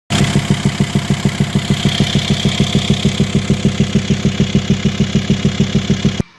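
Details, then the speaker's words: Volkswagen Caravelle five-cylinder idling: steady lumpy thump about three times a second, a single-cylinder misfire sounding like a tractor, with air pushing back at the airbox; an exhaust valve not opening caused exhaust restriction. "we could tell it definitely had a single cylinder misfire it did sound like a tractor"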